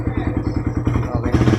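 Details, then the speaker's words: Suzuki Raider R150 just after oil and filter change to Shell Advance 10W-40, oil level correct: even, soft single-cylinder putter at idle, no knocking or tapping; very quiet, healthy engine. "Tahimik na makina eh. Napakatahimik na makina niya."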